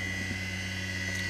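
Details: Kunming KXM10 cutter grinder (Deckel clone) on its first run, with 3-phase power from a single-phase Yaskawa VS Mini inverter and a 5-second soft start. The spindle holds a smooth, steady high whine near 5,000 rpm (advertised 5,200), with no rattle. Normal.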